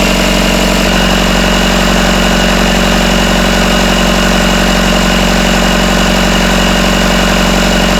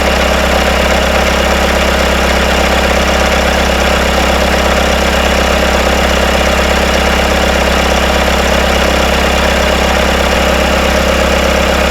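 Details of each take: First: Rebuilt Isuzu 4BD1T diesel in a Hitachi EX120 excavator, first start, around 1250 rpm, still warming (about 100°): steady even idle, no rattle or knock after loose rear bolts were tightened; smooth and healthy. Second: Rebuilt Isuzu 4BD1T diesel in Hitachi EX120-2 excavator, first start and break-in, intake off, idling: loose metallic rattle from rear, suspected loosening bolts; after tightening, no rattle at about 1250 rpm.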